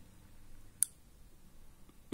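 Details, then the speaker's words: Relpol RM84 relay on GZ80 socket switched by Sonoff Basic for a garden watering solenoid valve: sharp click then loud low buzz as it pulls in; relay buzzing from loose socket seating, quieter when pressed in firmly. "Tutaj ten przekaźnik trochę hałasuje, trzeba go docisnąć mocniej to działa ciszej"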